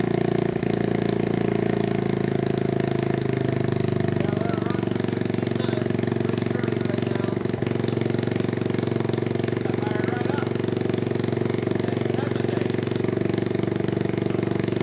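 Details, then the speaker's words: 1986 Honda Fourtrax 200SX single-cylinder after resleeved cylinder, new piston, rings and gaskets, first start during break-in: fires immediately but runs fast and uneven with a ragged beat; rough running, owner suspects the spark plug. "first time we tried to start it there fired right up immediately so couldn't be more pleased about that um it's not running exceptionally well yet"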